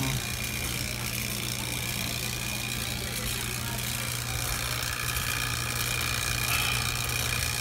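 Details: True T-49F two-door commercial freezer after rebuild, evacuating to 75 microns and weighing in the refrigerant charge: a steady low hum with a thin constant high tone, no cycling or knocking; compressor runs normally.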